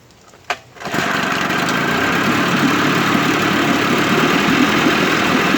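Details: 1958 Evinrude 18HP Fastwin two-stroke outboard, rebuilt with replacement powerhead, new rings, bearings and NGK B6S plugs. Cranks, catches and settles into even, buzzy run with steady beat, no knocks: normal running.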